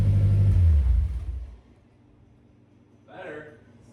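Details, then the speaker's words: Vehicle "Stomper" cold start with freshly welded exhaust after transmission fluid change: deep, heavy rumble that swells then dies away; loud through the pipe but no puffing leak, exhaust sealed, running normally. "loud AF but better that sounds like a proper chainsaw I think we're back in Action"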